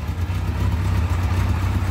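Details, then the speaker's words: Restored Kawasaki KZ1100 shaft-drive motorcycle started cold with the choke pushed in: it ticks over smoothly at just under 500 rpm with an even exhaust beat and no knocks or misses, below its normal warm idle. "we'll push the choke in and it's ticking over quite smoothly round about just under 500"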